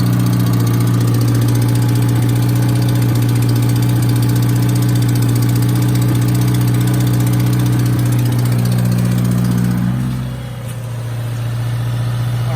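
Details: 2018 Subaru WRX base with Stage 1+ COBB tune, COBB intake, muffler/resonator delete: steady idle with a regular light tick about three per second over the rumble; owner suspects rod knock, cause still unknown.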